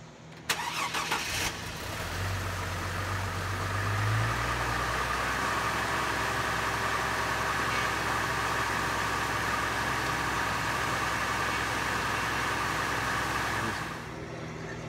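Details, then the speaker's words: 2003 Chevrolet Trailblazer just after a rack-and-pinion swap, with the power steering reservoir cap off while bleeding and the truck not yet back on the ground. The engine idles with a constant pump whine from air in the system; bubbles show it is bleeding out. "All right, we'll do this a few more times until the power steering pump quits whining like my kids."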